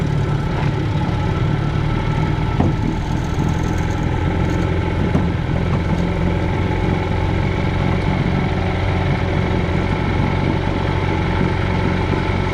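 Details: 1965 Johnson FD-19 18HP outboard on its first run after rebuild: head from a '69 Evinrude 25hp giving very high compression, serviced points, new plugs, carb kit, new impeller, converted to short shaft. Steady low two-stroke drone with an even beat, no knocks or misses; running healthy.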